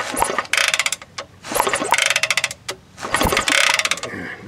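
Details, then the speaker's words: 1960s Honda CL90 (about 1966), fuel poured into the carburetor: repeated clattery, ratcheting kickstart strokes with no firing; the spark is inconsistent, so it won't start. "so new probably no spark let's see if we can see this i get an inconsistent spark"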